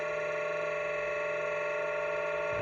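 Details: Venom dual pro LiPo charger, about a year old, while charging: a steady, harsh buzzing whine at one pitch, like a kitchen mixer; the cooling fans run rough, and the seller suggested cleaning dust out of them.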